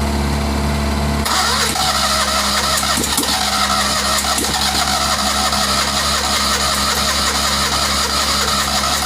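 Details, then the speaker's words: Citroën 2CV spare engine of unknown history, first start after years of storage, jump-started: catches after a second and runs with an uneven, lumpy, throat-clearing note and lots of smoke; rough running after storage. "kind of sounds like it's clearing its throat, but blimey, it's a bit smoky in here."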